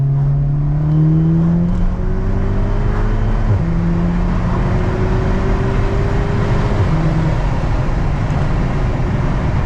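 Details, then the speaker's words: 2016 VW Golf R, about 420 hp, mapped, 38,000 on original plugs, after the misfire was fixed with new NGK plugs (the number four plug's ceramic was destroyed). A strong, clean pull through the gears at 36 psi boost with no stumbling or popping. "oh see what she's like man 36 psi that's got some boost that's pretty quick"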